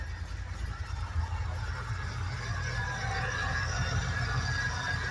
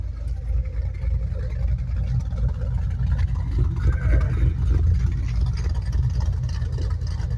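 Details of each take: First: 2008 Ford Mustang Bullitt salvage-auction car, mufflers apparently removed: loud, steady deep idle with no ticking, cooling fan audible; engine sounds healthy. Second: 2008 Ford Mustang Bullitt V8 bought from a salvage auction, at idle: deep, heavy rumble, louder and boomier than a stock exhaust should be; loud exhaust at idle.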